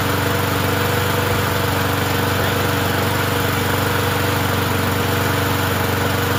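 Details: Murray 20" push mower with 4.5hp Briggs & Stratton classic single-cylinder engine after refitting a different blade: holds a steady, fast, fairly even beat, no longer kicking as with the old blade; still burning oil off the muffler.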